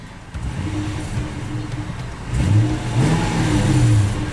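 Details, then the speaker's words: 2000 Toyota Tundra SR5 4WD 4.7L, fully warm after 10–15 minutes, after throttle body venturi cleaning: picks up cleanly on a high rev, then settles to steady idle without dying; low idle and stalling when hot fixed. "okay now that I've cleaned it you can rev it up real high and it won't drop down to die"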